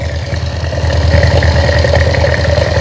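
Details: Small single-cylinder motorcycle engine after an engine rebuild, whose oil pump was not lifting oil; the cause was a cover found on the clutch side. Idling during the oil-flow test with an even, quick putter, no knocks or rattles, running smoothly.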